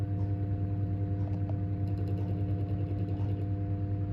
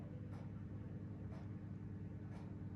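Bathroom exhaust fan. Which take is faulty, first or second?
first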